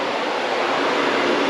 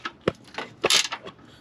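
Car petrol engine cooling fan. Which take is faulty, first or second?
second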